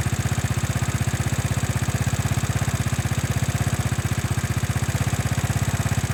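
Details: Small single-cylinder motorcycle that would not start, after ignition and fuel checks, new spark plug, cleaned and tuned carburetor, retuned for stalling at idle: steady, even idle of about four pulses a second with no stumble; some needed parts not replaced.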